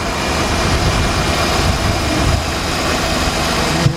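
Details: 2007 Jeep Grand Cherokee Laredo 3.7 V6 after alternator replacement, idling during a charging voltage check: smooth, steady idle with an even low hum and no knocks, whine or misfire; engine running healthy.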